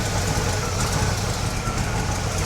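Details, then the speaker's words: 1969 GMC truck small-block V8, revived after 30 years, belt and bracket secured, charging about 12.9–13 volts: steady, even idle rumble with no ticking or knocking; motor runs good. "Sounds good. Motor run good."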